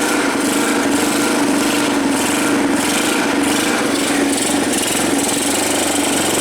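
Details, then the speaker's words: 1985 Yamaha BW 200 first start after sitting since 1997, with choke: small single-cylinder buzz at fast idle with a rattly, noisy top end over the exhaust note, possibly loose valve clearance. "sounds a little noisy on the top in but not too fast"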